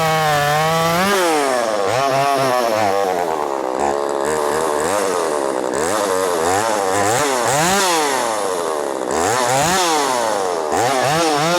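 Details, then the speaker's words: Ported Poulan Pro 4620 chainsaw at high revs surging unevenly, running out of fuel; fuel cap hissing and leaking fuel showed the tank was not venting, causing fuel starvation. "And it was coming from the fuel cap. And I could hear the hissing. Right? You know, we've all heard it. So the tank is not venting p"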